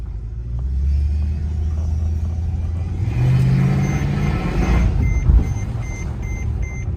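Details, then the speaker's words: Mercedes E55 AMG automatic that won't drive despite a replaced solenoid, switch gear and plug: in gear, engine revs rise and hold under throttle with no pull-away, like slipping; cause unconfirmed. "So, if we give it some beans, doesn't actually do anything."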